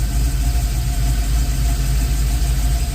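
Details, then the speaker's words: LS-swapped box Chevy Caprice on ACES fuel injection with new intake gaskets, running rich around 12.1 AFR, IAC suspected faulty: deep idle with a slightly uneven, lumpy pulse and engine shake; rough idle, cause unclear. "I'm not liking the engine shake I have."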